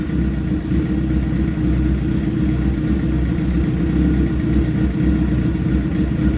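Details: Wrecked project motorcycle, first start with a freshly charged battery and a bent radiator, run only briefly: deep, even idle with a steady low thrum, no ticks, knocks or stumbles; running smooth and healthy.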